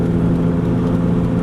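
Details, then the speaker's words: 2001 Chevy Venture van driving: steady low droning roar from a worn right front wheel bearing, heard when turning left and gone when turning right takes weight off the right tire; bearing replaced with integrated ABS sensor. "But when you turn to the left, it's got a roar, and you can basically turn it on or off by just taking that weight off that right tire."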